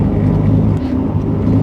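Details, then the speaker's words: Ford Falcon B-Series (BA/BF) driving: low steady grinding drone from the wheel area that rises turning right and drops turning left, as load shifts between sides; worn front-left wheel bearing, hub to be replaced. "Did you hear how when I turned one way or the other, that grinding noise got less or more? Well, that is a really good telltale sign that one side of your car has a bad wheel bearing."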